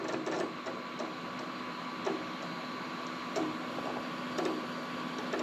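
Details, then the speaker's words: HP xw8600 workstation, Windows 7 Professional, booting: constant irregular head clicking and chattering over soft fan hush; hard drive thrashing nonstop, far louder than normal. "And the hard drive's still thrashing, so the password the guy gave me for the default is not working."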